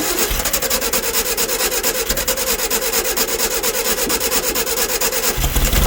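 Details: 1964 VW Baja Bug air-cooled engine, formerly seized, sitting over a year, run on old gas: quick steady chuff at idle with a busy clatter on top, running evenly; healthy idle and revving.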